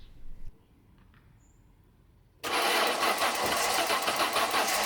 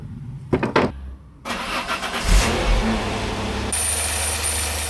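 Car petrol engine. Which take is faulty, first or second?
first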